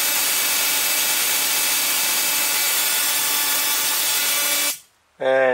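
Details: 555-timer ignition coil driver/tester on a 7 Ah sealed lead-acid battery with a 333 (0.033 µF) capacitor: a steady hissing spark buzz with a high steady tone at about 1.3–1.4 kHz, then it cuts off; normal coil spark.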